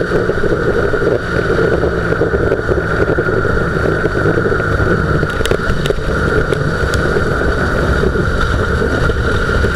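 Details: Dodge Durango at road speed: steady loud droning growl with mid-pitched hum from a worn front wheel bearing, much louder on the right side, though it quiets on sharp left turns.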